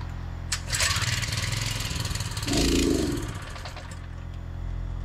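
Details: V8 fires and runs unevenly for a few seconds, then sags and dies as it runs out of gas; fuel starvation stall.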